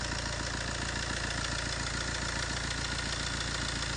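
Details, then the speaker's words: Fiat 1.3 Multijet diesel idle with tight metallic clatter about 3.5 times per second; worn timing chain, seen stretched to its limit through the inspection window, chain replacement needed. "bir ü zincir sesi arkadaşlar duymak isteyenler şu an bitmiş bir zincirin sesini duyuyorsunuz"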